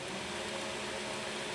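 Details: 2x72 belt grinder, 2-inch version, running at moderate speed after tracking was set with the secondary tracking adjustment. Smooth, even belt hiss with no flapping, slapping or rubbing; the belt is tracking true and running clean.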